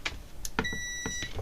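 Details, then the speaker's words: Cambridge Audio Minx Air 100 speaker with no power: a steady high continuity beep, meter placed by the microphone, while tracing the plus rail of the switched-mode power supply on the bench. "You don't need just the meter to hear a beep, do you? No, you don't. There we are. Lovely beepy."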